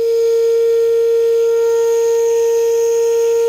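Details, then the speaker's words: Old Caterpillar overheated and shut off: loud steady ship-horn-like tone from boiling radiator venting hot steam, fading as it cools. "ito yung parang bumubusina sa radiator niya Pinatay ko naman mga kabakit ang overheat siya"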